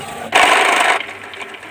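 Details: Epson L120 repaired from alternating blinking lights and a stuck carriage: a short, even two-thirds-second buzz as the carriage travels, then quiet. The printer is working normally.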